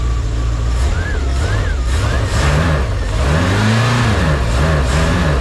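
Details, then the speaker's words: 1989 Bayliner Capri 1950 boat, OMC Cobra (Ford) 5.0L V8, running after mechanical fuel pump replaced; steady low rumble, revs rising and falling smoothly, no misses or knocks. Normal running; small carb fuel leak noted. "was a real relief to hear that engine run."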